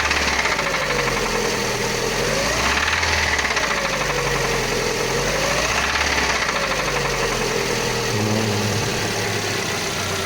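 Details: Lada Largus with 21129 engine at 4,200 km: hard metallic knock over a rough idle that sharpens on each throttle blip. Oil pressure about 1 atm at idle, rising to about 3 atm when revved. Source not yet found; engine to be dismantled further.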